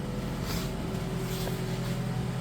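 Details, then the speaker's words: Normal healthy idle of a 2013-2018 4th-gen Toyota RAV4 2.5 four-cylinder just after new spark plugs and an oil change: smooth, even low hum with no misses, ticks or knocks; sounds pretty happy. "other than that, sounds like she's pretty happy."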